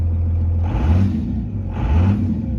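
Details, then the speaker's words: 1998-2002 Dodge Ram 5.9L 24-valve Cummins diesel just after head gasket replacement, idling: steady low rumble with two brief hissy gurgling surges from residual air in the heater core, expected to work its way out. "Hear that? That's the residual air in the heater."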